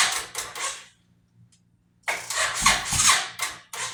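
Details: 2005 Suzuki Boulevard S83 motorcycle, sitting four to five years or more, rusty gas tank, weak battery, leaking fuel line; short bursts of starter cranking, a pause, more cranking, engine spins but never catches: cranking without starting, cause unconfirmed.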